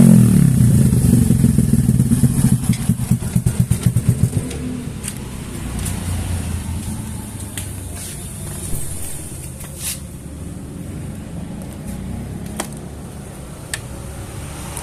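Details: Yamaha NMAX scooter after bore-up with a 57 mm piston, run-in before revving: the single-cylinder revs hard, then settles to an even, steady beat with no knock or rattle; the engine sounds healthy.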